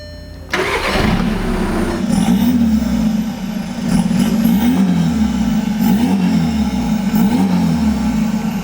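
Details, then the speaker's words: 2013 VW Golf TDI, CJAA 2.0 turbo diesel with stage 2 tune, after clearing a plugged DPF, on a drive: catches, then revs up and down with a clean, strong exhaust note, no misses, some black smoke; running healthy. "We did get the DPF issues cleared out and it runs so good now."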